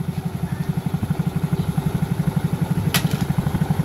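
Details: Smash 115 with lost compression, first start after pouring an oil-gasoline mix into the spark plug hole: quick even low putter idle with no knocking, some smoke.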